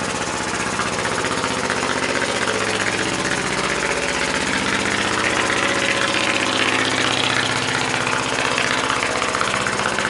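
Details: Muncaster table steam engine on a 3-inch firetube boiler: fast, even chuffing beat near three per second with a steady hiss; runs smoothly at speed.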